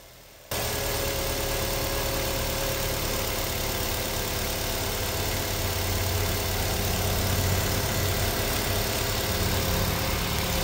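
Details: Nissan Almera with hard start, after replacing spark plugs under the intake manifold: starts in one click, then settles into a smooth, even idle with no misses or stumbles; fault was only the spark plugs.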